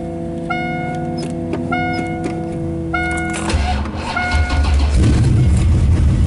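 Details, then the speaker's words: Carbureted engine with electric choke, cold start without touching the gas pedal (pedal pumped once or twice before starting): fast idle around 1100–1250 rpm, raised steady idle smoothing out as it warms; normal choke operation. "like go ahead and start it right up basically it's it's idland you know right around little ribs here which you kind of want when it's cold it's 11 115 125 we're not we haven't touched the gas pedal"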